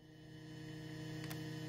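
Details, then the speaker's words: Steady low hum with faint hiss and no notes playing, from a Roland S-1 synth through the mixer; the owner suspects the noise comes from both sharing a powered hub, not confirmed. "Naririnig niyo yung ingay? Maingay ano? Yung ingay na yon ay nandito rin sa ano mismo, sa mixer."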